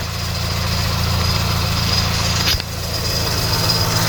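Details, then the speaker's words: VW Polo R Line being rebuilt after a crash, first start after fitting a new engine wiring loom with breather pipes off: uneven, lumpy idle with a chain-like rattle on the case, EPC light on; rough running, cause not confirmed. "starting up all right still running like a Bag of Nails you can hear that noise that sounds like the chain that does rattling on the case"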